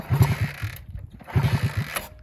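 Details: 1966 Honda S90 motorcycle, unrun for 45 years, just tuned up and cleaned out: two rough bursts of clattering kick-over chuffs die out with no firing; it turns over but won't start.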